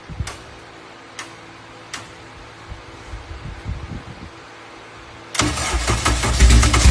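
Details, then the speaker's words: Honda K24-swapped dirt car with K-Pro ECU, after replacing a dead injector on a missing cylinder with a stock one: cranks a few seconds, catches and revs cleanly with even firing on all four; healthy. "oh baby like a song huh oh yeah that's how she's supposed to sound like a kitten"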